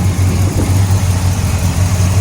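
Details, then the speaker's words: 1966 Pontiac GTO, rebuilt 389 V8 bored .030 over, Brawler 650 cfm carb, custom dual exhaust, just started and warming, 60 psi oil pressure: low, even burble at idle, no knocks or ticks; starts every time, runs well. "and clean engine compartments starts up all the time good battery good alternator"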